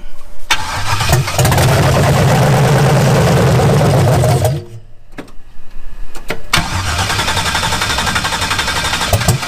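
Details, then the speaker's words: Rebuilt 2005 L59 5.3 LS, standard bore, Howard's cam, Holley 750 double pumper on single-plane intake, in 1988 Camaro IROC-Z at first start; loud, ragged, stumbling running, reading very lean, owner suspects the exhaust pipe is too short for the O2 sensor. "okay we had an issue it's really running really lean but I think about the you know our thought process is the pipe on the exhaust is too short for the o2"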